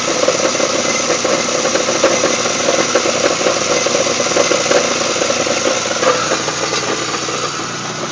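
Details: GTP with 3800 V6 idling: uneven metallic rattle over the run with light irregular ticking in the upper range; nasty rattle present, source not pinned down.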